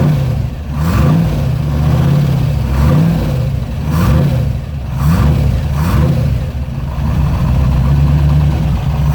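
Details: TVR wedge V8 with a new Facet red top fuel pump under the bonnet, fuel pressure at 4 psi: a deep idle rising and falling smoothly through repeated blips, with no stumble or misfire. Normal idle and revving.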